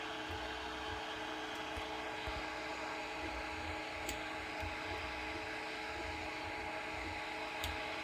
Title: E3D Hemera bursting popping noise